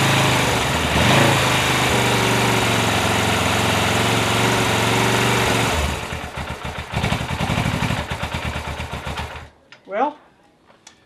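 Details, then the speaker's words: Suzuki GS500 motorcycle after repair of loose generator/magnet rotor (starter gear) on crankshaft; in neutral. Engine catches and settles into a steady, even idle before shutoff, no knocks or misses; normal start. "I would call that a success she starts"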